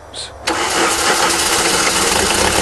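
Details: VW diesel after cylinder head replacement, first failing to start until injectors/glow plugs were tightened: quiet, then it catches at once and settles into a steady, even diesel clatter with no misses; starts and runs cleanly.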